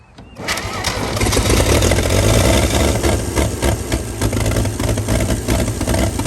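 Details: 1937 Chevy truck six, first run on gasoline after 45 years sitting, cranks, catches quickly and holds strong steady beat with throttle blips, no smoke despite rust in cylinders; shut down as it heats fast and boils coolant.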